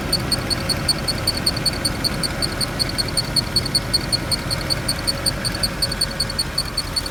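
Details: Mercedes E63 at idle; sharp high-pitched tick repeating about two and a half times a second; appears to come from one of the fans, source unconfirmed; ticking noise at idle.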